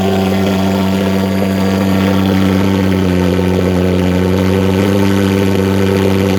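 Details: Vectorfog H100SF gasoline pulse jet thermal fogger on VP Racing canned fuel, started by holding the start button 8–10 seconds, solution tank shut: loud, steady, even drone with a strong low buzz that never wavers; normal steady running.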